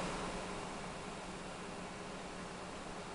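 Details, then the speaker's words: IBM eServer xSeries 220 server at first power-on: soft even fan hiss and faint hum, no disk whir yet; SCSI hard drives stay idle until the controller accesses them, so a normal power-up. "So here it comes up. It's pretty quiet so far. Apparently these SCSI hard drives do not spin up until their controller tries to access them."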